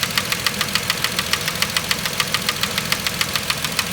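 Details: 2010 Vauxhall Corsa 1.0 Ecoflex three-cylinder replacement engine at idle: crisp metallic tapping about 3.5 per second, knock-like, from worn inlet manifold swirl flaps.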